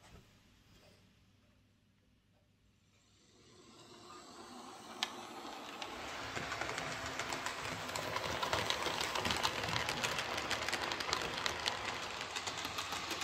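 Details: Hornby J36 model locomotive after lubrication with mixed gear oil and grease to cure screeching: motor hum builds with speed, steady fine wheel ticking on track, no screech; running cleanly.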